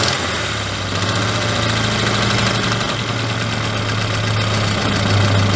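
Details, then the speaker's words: Old Volvo junked as non-starting despite new plugs, wires, fuel pump; fixed by reseating brittle wiring connections at relay: steady low hum with even idle rhythm, no knocks or misses; normal idle. "it sounds like a beautiful Swedish prick"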